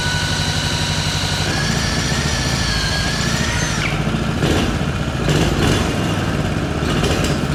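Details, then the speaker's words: Previously seized Honda GX200 single, first run after teardown cleaning out milky oil and cylinder rust, with a newer spark plug and choke open: revs unevenly, sagging and surging with stumbles. Rough running, cause unknown. "it's definitely running I don't think it's running the best"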